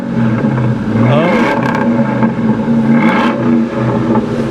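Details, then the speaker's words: Ford Mustang V8 at salvage auction, Diablo Sport tuner noted, airbag and service engine lights on, no brake pedal: deep smooth rumble swelling cleanly through throttle blips, not too loud; normal exhaust note. "listen to this it's got a nice little rumble to it sounds nice not too loud"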